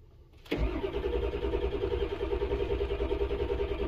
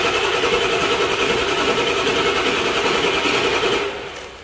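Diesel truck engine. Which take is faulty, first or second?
second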